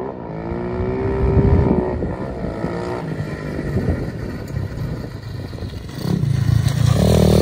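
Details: SSR125 single-cylinder pit bike, final ride after full rebuild with crash-bent frame straightened and reinforced: revs up and pulls cleanly through the gears, crisp even firing, no stumble or hesitation. Normal running under load.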